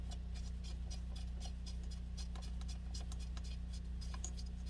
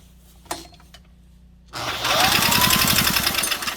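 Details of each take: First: Small Honda single from a scrap pile, running briefly with the valve cover off. A steady low putter with light, even valve ticking; decent compression and healthy running. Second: Scrap-pile Honda 160 cc small engine cranking: quick regular chuff about four times a second, popping back through the intake/carb; owner suspects a stuck intake valve.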